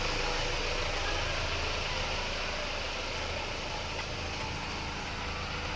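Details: Isuzu Panther diesel after an engine rebuild with new liners, pistons, rings, clutch and seals following radiator coolant loss and overheating; warm after a test drive, a steady, even idle clatter with no misses and no smoke, healthy.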